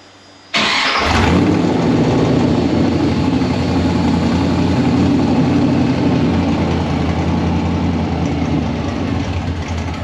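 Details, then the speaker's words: 1955 Chevy Nomad small-block V8 with new sheet-metal tunnel ram and dual Holley Sniper fuel injection: cranks and catches straight away, settles to even idle, revs up quickly; normal start. "let's hear it it revs fast priming"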